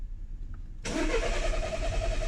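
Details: 2014 SEAT that misfired and cut out when warm, now cranking with no start: starter whirs steadily with a thin whine, engine never catches; recorded while checking for fuel pump sound under the rear seat, pump found running.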